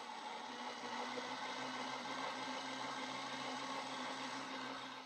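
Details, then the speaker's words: Second replacement Ooni Halo Pro spiral mixer: steady motor whirr with faint high ringing and fine rapid buzz once the bowl is locked in; distinctive abnormal drive noise, spline described as ropey, cause unclear. "There's definitely a distinctive noise. When you lock that bowl in, there's a noise in it."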